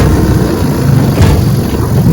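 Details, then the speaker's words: Restored 1948 Johnson TD20 5 hp outboard on lake test in choppy water, pushing boat about 8 mph against wind, 10 mph with it: steady buzzing under load, no misses or knocks, idles down nicely, running fine. "Idles down really nice. Runs good. Pushes the Missy boat about 8 miles an hour against the wind, 10 miles an hour with the wind."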